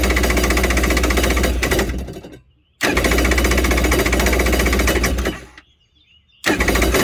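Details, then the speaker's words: Kawasaki X2 jet ski, hull about 1986, after a new battery and fixing a missed wire: the starter whirs freely in bursts with a fast buzzing rattle but never turns the engine over, as the starter bendix isn't engaging the flywheel. "all right you all hear that right there so that's a starter Bendix not coming out and hitting that flywheel"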